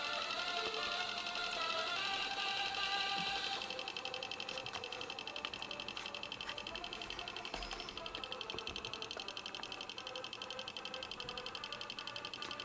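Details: Sony MiniDisc player/recorder: fast, even ticking about three times a second over a thin drive whir, making strange noises; mechanism labouring, cause unclear.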